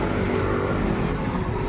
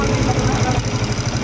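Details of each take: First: Honda TMX155 single-cylinder after replacing camshaft, timing gear, cam follower and shaft, piston repair and carburetor adjustment: steady, even idle with only a faint light tick, normal for a TMX; quiet, back to normal. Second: Honda TMX155 CDI single-cylinder motorcycle at idle: rapid, even ticking over the low thump from the valve train; worn camshaft and cam followers, fixed by replacing timing gear, camshaft, cam follower and cam follower shaft.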